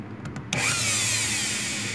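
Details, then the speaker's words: Brushed motor from an electric hand planer powered by a homemade DC to AC 60Hz inverter using ATX standby MOSFETs, spins up at once to a high, even whirr with brush hiss; speed very high. "está girando aqui mas o giro aqui é muito alto"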